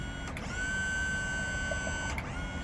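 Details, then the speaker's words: Boat jack plate raising and lowering a 200 Verado outboard: steady electric pump whine that starts and stops cleanly with even pitch throughout; jack plate motor working normally. "so let's see if it works all right there she goes moving our 200 verado up and down"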